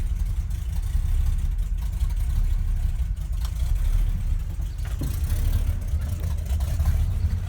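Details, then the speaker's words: 1971 Ford crew cab, rebuilt 352 FE V8 with new cam, open glass packs, cold: deep choppy loping idle from the cam, somewhat cold-blooded; some header exhaust-leak ticking; surging suspected from the PCV valve (about 13 inHg vacuum) or a vacuum leak. "Pretty cold-blooded, actually. There we go. Camera wasn't focusing for some reason. It has a fairly noticeable idle with that cam. Kind of like it."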